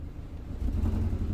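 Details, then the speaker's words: 2008 BMW 116i (E81, 1.6 petrol) with rough idle and fault code 29D0: engine revs with a stumbling, uneven note instead of a clean rise; misfire traced to incorrectly coded injectors, fuel pressure checked in live data. "we definitely sounds like a misfiring and being pressure no pressure hmm that's we it should not pressure there"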